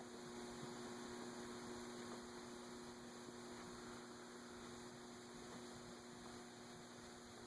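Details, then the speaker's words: Vintage Emerson 6-blade 30" Fernleaf/Longnose antique ceiling fan, first test, solid-state control turned up to high: faint steady electrical hum, blades not turning, motor energized but stalled; stiff to start, nose cone possibly still too tight, suspected. "Well, I've gone all the way up to high, and it's still not starting, so is the..."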